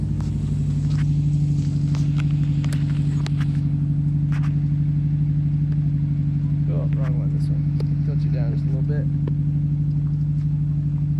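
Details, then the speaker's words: Idling engine just brought home after sitting, with brown liquid drained from the gas. Steady low idle with a lumpy, uneven beat and a slight stumble; the owner suspects a misfire from old residual gas, tank debris or bad spark plugs. "It's still idling. But you can hear it's got like a probably a misfire or something."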